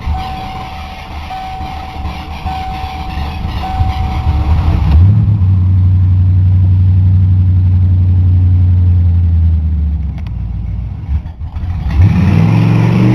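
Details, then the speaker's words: 1988 Ford Crown Victoria fuel-injected engine cranks steadily about five seconds before catching into a low idle, a little smoky; long cranking cause not found after diagnosis, fuel pressure regulator checked and not leaking. "so this car gets if you don't want to run right yeah well I'll just have to live with cranking it forever"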